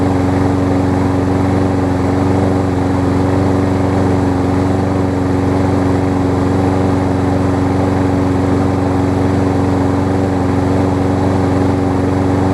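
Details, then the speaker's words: Kohler-engined Lawn Boy mower that would only start on starter fluid: runs steady but slightly uneven and lumpy, a touch rich, almost like the choke is on; a minor clog in the tiny top carburetor jet, later cleaned out. "so that's very interesting actually um I did not think that was going to start like that it almost sounds like the choke sounds like there's a very minor clog"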